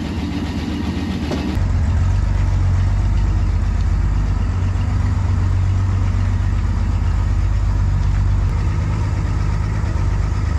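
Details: Finished 1953 Chevy 5700 COE truck, now runs and drives: the engine catches and settles into a steady, even low-rumble idle with no knocks or misses; runs healthy.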